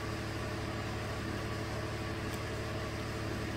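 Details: 2016 Chevy Colorado 3.6L V6 with P0300/P0303 history (cylinder 3 misfires), idling during diagnosis before repair: steady low hum, even beat, no skips; no active misfire.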